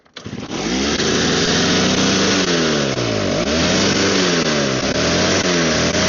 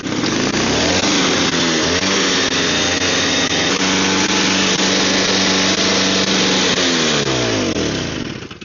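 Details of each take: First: Snow blower small engine that smokes heavily and only runs with prime bulb, idle screws vibrate out of adjustment: runs with pitch rising and sagging every second or so, hunting; owner suspects dirty carburetor. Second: Snow blower small engine, primed and choked: revs up, holds a steady buzzing speed, then winds down smoothly with no misfire or stumble; running fine.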